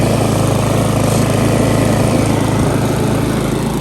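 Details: Repaired Briggs & Stratton lawn mower at full throttle, target about 3000–3600 rpm, cutting thick grass before an oil change: steady, even hum holding pitch under load; smooth and healthy.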